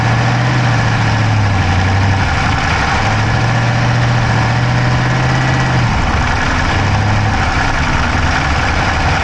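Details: Dodge Charger Hemi V8 at steady idle, recorded inside the driver's-side engine bay: a fast, light top-end tick over the low rumble. No exhaust smoke, so the owner doubts a dropped valve; origin unknown.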